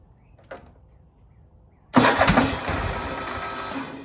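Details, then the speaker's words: 2015 Craftsman Pro 8300 tractor, Kohler KT745 engine, after replacing the starter (a new solenoid alone had not cured a whining no-turnover fault): harsh crank that catches and runs unevenly a couple of seconds, no longer whining; rough start, old starter the culprit. "That didn't sound good, but it sounded better. And that's the culprit, a $54 starter off of Amazon."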